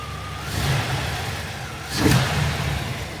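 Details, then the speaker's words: Box Chevy project car, owner-rewired, tuning untouched: engine started and blipped twice, rising cleanly and settling back to a steady idle with no stumble or knock. Runs healthy. "But like I said, the car does run. Matter of fact, I'll start it up for you."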